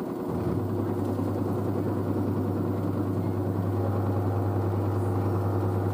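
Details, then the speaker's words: New washer dryer settling into a 600 rpm spin after a pre-spin: a smooth, steady low hum with no banging, thumping or grinding. It is quiet; the front panel flexes slightly but the machine stays stable. Normal spin. "the front panel flexes a bit there but the actual machine is quite stable so so it's so quiet 600 rpm"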